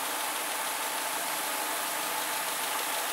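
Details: Renault Twingo petrol engine after a rebuild with a new belt and gasket kit, first start: steady even idle at about 780 rpm, 83°C, no knocks or misses; an air leak was found at the injector seal.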